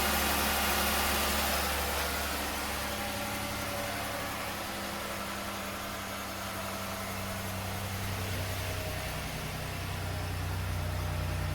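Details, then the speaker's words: 2009 Chevrolet Impala bought from Copart, first start on its reconditioned, boost-charged battery before front wheel-well repairs: a steady, even idle with a smooth low drone and no knocks or misses; the engine is running properly. "I got dingage. Man, she runs good too. It's a mighty 35."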